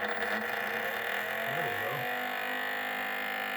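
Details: VMUS DG-3 ozone generator cooling fan, after its plug was refitted the right way round, spins up with a steady high whir and a rough rubbing edge; owner suspects glue pulled up fouling it. Noisy fan.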